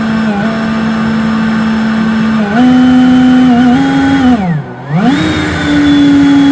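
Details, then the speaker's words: Lightly to moderately used Ryobi 40V brushless Whisper blower at full trigger: steady motor whine jumps in pitch, sags and nearly drops out before recovering, randomly cutting in and out; owner suspects the trigger/signal switch, motor believed fine. "See how I'm squeezing it on all the way and it randomly kicks on, randomly kicks off. The trigger is clearly done for the motor itself."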